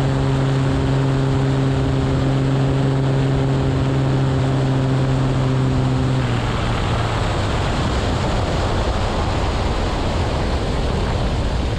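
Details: Aircraft piston engine just overhauled (new cam, lifters, bearings, rod bolts, rings, honed cylinders; zero-time prop and governor), on its first break-in flight: a steady propeller drone, then it abruptly cuts to wind rush. Catastrophic failure about a minute after takeoff.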